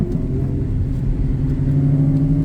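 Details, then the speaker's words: Nissan 350Z after short shifter assembly rebuild (extra grease, all bolts tightened): engine pulls cleanly under acceleration, smooth rising drone, no shifter rattle, previously rattled badly. "So, it's night time now, but there's no more rattling coming from the shifter."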